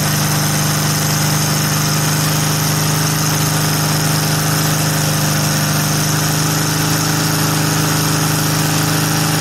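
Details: VW air-cooled flat four with Weber progressive carburetor, sat a while, fired right up after earlier trouble firing a couple cylinders at idle; even, settled idle with steady low hum and fine clatter, no hunting or skipping, idles fine.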